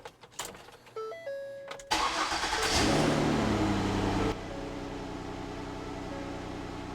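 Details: Ford Escape after rust repair and patched exhaust with new donut gaskets and muffler sealed: first start catches on the first crank and settles into a steady, even idle with no puffing or ticking from the exhaust; normal exhaust note.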